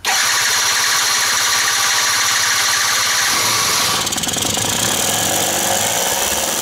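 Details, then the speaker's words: Quantum RS two-stroke started with help after the carburettor was primed; battery and starter are worn. Catches and holds a fast, steady high-pitched buzz; idle revs a bit too high, so it will be dismantled preventively. "widzicie ten silnik odpali musiałem mu pomóc akumulator rozrusznik to się wszystko potem zużywa ale jak widzicie obroty są wysokie trochę za wysokie"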